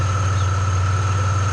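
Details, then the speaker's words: Car after a remanufactured alternator and new belt tensioner, with a P0446 code pending: smooth, even idle with a steady hum and no bearing whine or belt chirp, charging at 14 V. Normal idle. "so we're getting a good voltage 14 volts that's right where we want to be so the alternator is functioning like it should sounds a lot better"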